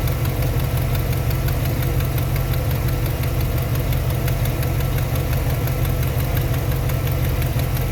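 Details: 1991 Chevy Silverado 350 now idling on its own off the jump starter: steady low idle with a faint fast tick. A header or exhaust manifold leak is suspected.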